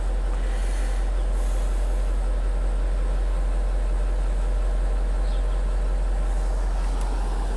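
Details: 4.4 TDV8 L322 Range Rover after refitting an airbag and reconnecting the air line to fix a leak, raising the suspension toward off-road height. Steady low droning hum as the compressor inflates the air springs normally.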